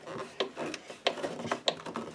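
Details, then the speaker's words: Roughly 25-year-old Craftsman belt sander turned by hand during teardown: uneven dry clicks and scraping rasps as it catches and releases, turning then stopping; binding, suspected failed armature bearings. "It'll turn and then stop, turn and then stop. There's something binding up, and I think it's the bearings in here."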